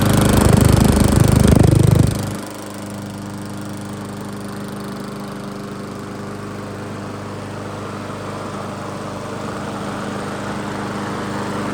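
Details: Old 22-inch Weedeater walk-behind mower after seasonal tune-up and blade refit, brief run: loud burst settling into a smooth, even single-cylinder putter; sounds good.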